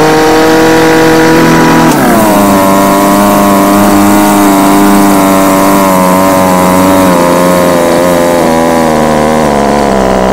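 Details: Homelite UT20042A string trimmer after carburetor replaced with a C1U-H60: small two-stroke buzzing high and steady, dropping and settling after a blip, revving cleanly without stumbling; runs properly.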